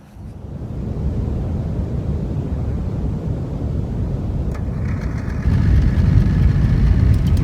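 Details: Old Dixon zero-turn mower, sat in the woods about a decade, first run on its own fuel after a new tank fuel line. It chugs low and uneven with irregular stumbles, likely partly because the plug lead was left unconnected and is arcing to the plug, causing a misfire.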